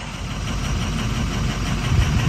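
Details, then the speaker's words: Ford 6.0 Powerstroke diesel truck that had been sitting, injector disable test: deep, uneven, lumpy shaking idle; disabling injector 5 makes no change in idle, so injector 5 is dead and needs replacing. "Now you go injector 4. We're gonna disable it. You can hear a difference. So injector 5 ain't doing nothing. So she needs an injector."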